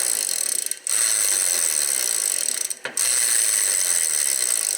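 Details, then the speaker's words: Rear freewheel of a ten-year-old Trek Navigator 2.0 after cleaning with alcohol: fast, dry clicking that sounds coarse and rough while the hub spins down; owner thinks the bearings need lubrication. "sounds a bit rough to me you know i'm used to precision in industry so that noise means that the bearings need to be lubricated in my opinion"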